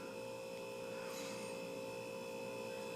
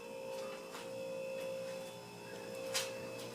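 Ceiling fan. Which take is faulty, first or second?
first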